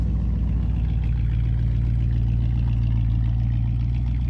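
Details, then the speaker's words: 1958 Chevy Biscayne V8 hot rod after idle mixture screws reset to standard: deep steady burble, even beat, no misses or stumbles; smooth, well-settled idle. "i mess with the idle mixture screws i got them set back to standard running smooth i'm going to ask for smoother running engine"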